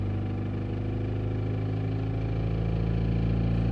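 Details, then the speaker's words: Opel Zafira A Y20DTH diesel: knock absent at idle, appears from about 1000–2000 rpm; dull, fairly steady knock from the front of the engine, traced to the crankshaft (alternator belt) pulley; fix is new pulley and oil seal. "Итак, что же стучится в дверь? Как выяснилось, это шкив коленчатого вала. Шкив ремня."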